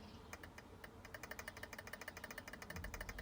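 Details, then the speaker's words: Arrma RC car (Kraton/Talion/Outcast/Typhon type) center differential after setting mesh: fast light ticking of gear teeth rocking with a hair of free play, correct gear mesh backlash. "slight movement between the gears just where there's just a hair that's a good mesh on the center one"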